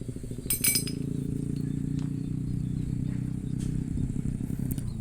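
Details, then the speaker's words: Honda Beat FI ESP scooter at low rpm idle, heard at the CVT belt case: rough fast rattling chatter over a low idle hum, caused by a worn, loose roller housing bushing on the crankshaft; before repair. "Kemudian saya lakukan pengecekan di bagian bak CVT, karena di bagian bak CVT ini ada suara abnormal atau suara kasar."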